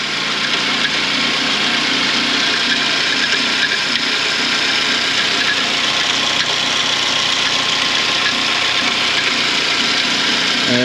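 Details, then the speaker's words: 2006 Suzuki Grand Vitara 2.0 petrol automatic, 230,000 km, at idle: steady hissy clatter with metallic scraping, persisting with accessory belt removed; timing chain previously replaced; worn, slack timing chain rattle. "Suzuki Vitara 2006 rok 230000 przebiegu silnik To dwulitrowa benzyna automat i Podczas pracy silnika jest taki dziwny odgłos takie szuranie"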